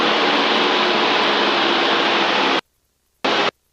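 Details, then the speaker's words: Loud, even hiss in RV aircraft headset over engine drone, cutting out twice, during takeoff; pilot on aircraft jacks and standby intercom, copilot on standby intercom only; noise at 1800 rpm and above, suspected radio; finding: headset static noise. "there's that noise you hear the noise yeah the static yeah it's tful isn't it yeah it's really loud yeah terrible that's from this radio"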